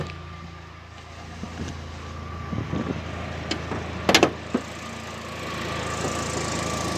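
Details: UAZ Patriot: scattered loose metallic clunks over a quiet idle when the steering wheel is turned left. A torn rubber support boot on the steering shaft lets the shaft knock against body metal; replacing the support fixed it.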